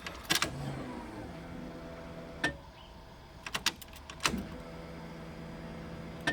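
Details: Mazda Miata at key-on after exhaust rework: low steady hum rises in two stretches between sharp clicks, aftermarket fuel pump priming, loud but normal; then fires to a healthy idle.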